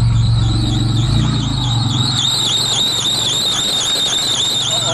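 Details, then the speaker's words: 4x4 with a 3.3 engine, not started since June, cold start in snow: high wavering squeal over the cold idle pulsing with the engine; belt slipping on a seized alternator. "Alternator is seized. Fuck! Too bad. I can't go driving in my 4x4 because my alternator is seized."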